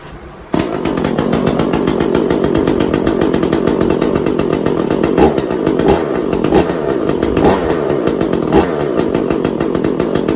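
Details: Echo CS400 two-stroke chainsaw, test start after oil pump replacement: it catches on the rope pull and holds a steady, even buzz with a few light blips, running clean and healthy.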